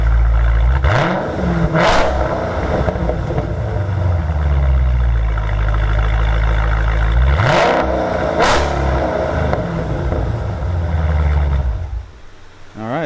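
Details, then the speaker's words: 2019 Dodge Challenger V8 on stock factory exhaust before Corsa axle-back install: deep steady burble with two quick clean revs rising and falling smoothly, no knocks or misses; healthy engine revs. "So real quick, guys, we're going to go ahead and fire this thing up so that way you can hear a couple of revs with the stock system, and then we'll get it ripped off and get this Corsa installed."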